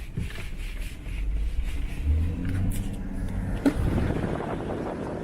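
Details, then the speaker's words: BMW N55 after replacing the front and rear crankshaft seals and changing the oil, on a test drive: steady low engine drone with no whistle or hoot over it; running normally, whistle fixed. "I would say that's fixed."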